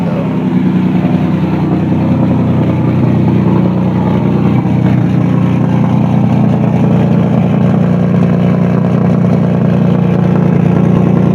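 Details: 2003 Nissan Maxima with replacement engine, no overheating, more power, running after startup: steady strong hum, smooth low drone, even rhythm, no knocks or rattles; AC tends to make some noise. Normal running.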